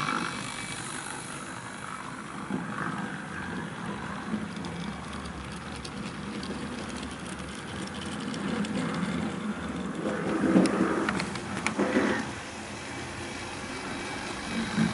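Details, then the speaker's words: Farish Pannier model loco after motor fixes and added wheel wiper: light mechanical whirr with faint rapid ticking as it runs, significantly quieter than before; normal running. "I haven't got any record of this thing when it was playing up, so you'll have to take my word that this is significantly quieter than what it was before."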